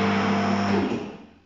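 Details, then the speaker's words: Automotech AS-235SBE H-base 3.5-ton twin hydraulic ram two-post car lift starting to raise a car after the arms are set on the lifting points: steady, even electric pump motor hum at constant pitch, then a clean wind-down as it stops; normal lift raising. "so once you got it on there double check it and i've done the other side already so i'm gonna start going up"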